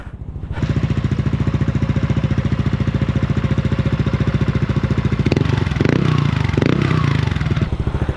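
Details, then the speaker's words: Replica Pro motorcycle exhaust pipe two years on, after fixing a faulty screen that caused a tinny rattle (tightening the crankcase screw had not helped): even, deep thumping pulse at steady idle, no tinny rattle, no longer sounds like a tin can; normal exhaust note. "So again, ito yung tunog niya ngayon kumpara kanina. Ayan siya ngayon. Hindi na siya tunog lata uli."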